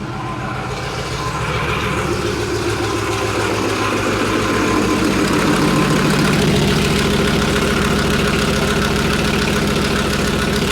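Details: Leopard tank diesel, test run after fuel injector bank O-rings and five or six cracked hoses were replaced. Settles from a lumpy start into a steady, even beat with no misses; no leaks found. Normal diesel idle.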